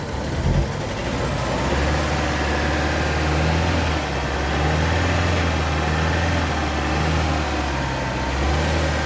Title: Vauxhall zafira 2015 1.4t engine misfiring